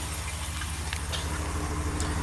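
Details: 2019 RAM 1500 after a no-start, finally started by jump-starting: even low idle drone under light handling clatter, no misfire or knocking, idling normally.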